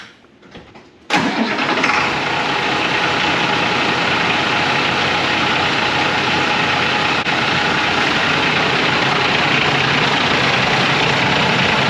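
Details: School bus with DT466 diesel, 5-speed, Thomas body, cranked after repair; short crank catches at once, then settles into a steady even diesel idle with no misses or knocks; normal start and idle.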